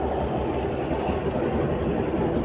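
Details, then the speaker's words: Automatic (matic) scooter idling, averaging about 1300 rpm with slight up-and-down fluctuation: steady low idle, even exhaust pulse, no knocks or rattles; normal. "Biasanya kita anggap aja putar rata-ratanya dianggap 1300-an"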